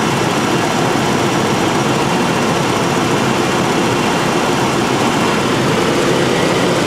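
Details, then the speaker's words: 1992 first-gen Ford Explorer after fuel pump replacement, first run on gasoline since 1998, heater blower on, thermostat suspected missing or stuck open: steady even idle, no stumbles or misses, mostly masked by blower noise; normal idle. "It's the first time it's run on gasoline since 1998."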